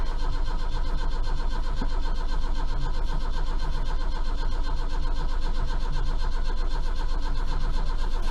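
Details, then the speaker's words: Austin Maxi, first start after about 3 months sitting: long starter churning at roughly four turns a second for over eight seconds with no firing; slow to start, owner suspects the points need cleaning. "she's trying she's trying she's running on a few cylinders she's trying she's popping a bit oh yeah she's popping she's trying oh here we go there we are"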